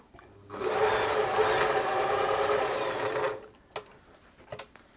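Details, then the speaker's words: German-made Singer 631G/611G sewing machine after a full service and foot controller repair, sewing with a shortened stitch length: smooth, even motor hum with a quick, steady needle patter and no binding. The stitches look good. "Oh, it's looking good there."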